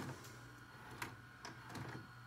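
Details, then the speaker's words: Sylvania SSD803 VCR/DVD combo during play, stop, rewind and fast-forward: a quiet whir with light clicks as the transport changes modes, gears engaging cleanly with no grinding or slipping. The gear shifting is smooth and normal. "your shift is just fine you can hear the gear shift inside all right let's hit stop your the gears alright fast forward no good your eternity pretty smooth pretty smooth"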